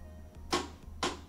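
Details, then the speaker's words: LG front load washer model WM2455HG started on a cycle: two sharp clicks about half a second apart over a low hum as the door lock keeps trying to latch and fails, then display flashes dE error; faulty door lock. "and you can hear that is locking or trying to lock the door and this line flashes and then it throws the error code d e"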